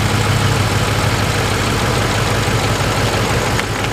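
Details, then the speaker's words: 2005 Ford F-150 4x4, 5.4L, code P0357 (cylinder 7 ignition primary circuit), 120 psi cranking compression: uneven, lumpy idle with stumbles, running rough. More than one cylinder is suspected of misfiring. "customers concern is that runs rough it has creep code P over 357 that's the ignition primary circuit on cylinder number seven and it's running really rough like it's more than just that one cylin"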